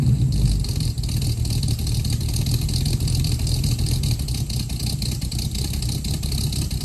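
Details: 1969 Mustang V8 that sat 15 years, test drive after new exhaust and tips fitted: deep, lumpy but steady exhaust burble pulling away, no leaks or ticks; normal exhaust note.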